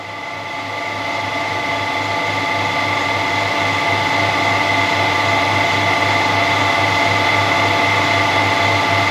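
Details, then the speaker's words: Harrison M300 lathe at 370 RPM after new drive V-belts and apron, headstock and gearbox oil changes: smooth, steady hum and a clean gear whine at constant speed, no knocks or grinding, running healthy. "so those belts look really smooth and we've got no unusual noises coming from the lath the gear side of it anyway so that's really good generally then I'm really happy at the minute how that La sounds No weird noises and everything seems to be working as it should so that's brilliant"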